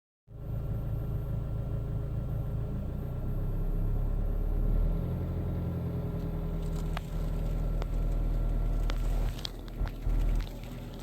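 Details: Alfa Romeo 159 engine between 1000 and 1500 rpm: deep droning rumble with scattered clicks; strange noise of unknown cause.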